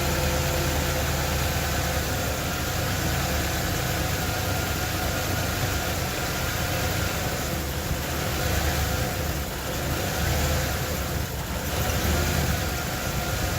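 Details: 1995 Ford Bronco 302 EFI V8: rough, loping idle sagging and recovering every couple of seconds, also stalls; timing set to 10°, many sensors and IAC replaced, EGR tested OK; owner suspects vacuum line leak.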